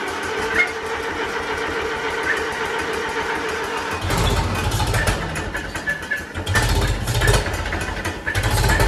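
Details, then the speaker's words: Old tractor that sat over a year, timing thought off and governor a touch sticky: engine surges and stumbles unevenly instead of holding a steady idle; fuel flow problem suspected; uneven running. "a little bit of a fuel flow problem or something that's what it sounds like to me"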